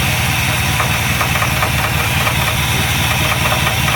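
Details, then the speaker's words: Engine with an Edelbrock carburetor whose primaries and air bleeds are suspected clogged by E10 ethanol deposits, before cleaning: loud, uneven idle with a loose knocking patter around two beats a second. Rough idle, cause suspected, not confirmed. "uh this happens because deposits gets set up inside here in the carburetor for the lovely car nobody believes that alcohol is not pushed apart even sounds like she's knocking"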